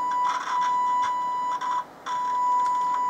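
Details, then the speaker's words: Vintage military-style long/medium-wave transistor radio on AAA batteries: a steady test tone drops out for a few tenths of a second, then returns. The 100 µF 10 V output coupling capacitor was open inside, not a dry joint. After replacing it, stations were heard. "okay so I've removed the capacitor there wasn't dry joint actually got an internal open circuit so I 100 microfarad 10 volt that's the output cut into pasta"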